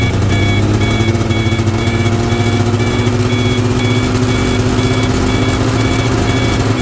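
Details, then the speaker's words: 1992 Yamaha Venture XL VT480 snowmobile; over steady idle a clear high beep repeats about twice a second, reverse backup alarm revived with WD-40 and hammer tapping after not working; backup alarm working. "the backup alarm didn't work so i shot some wd-40 in there and tapped on it with a hammer and eventually got it to start working"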